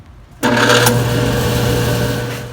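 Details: Older Whirlpool dryer starting abruptly into a loud steady hum with coarse rushing roar from a failing drive motor; motor issue, fixed by replacing the motor.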